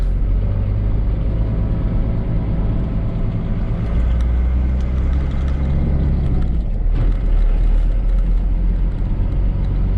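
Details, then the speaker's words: 1995 Dodge Ram 2500 with 12-valve Cummins turbo diesel, after installing a rebuilt NV4500 5-speed and a new clutch and pressure plate, run in gear on the lift from the cab: smooth low drone with no whine, grind or rattle. Normal transmission running in gear. "Alright guys, so here we are inside the cab of this truck. Let's see how this thing sounds. Woo! No noise. I like that."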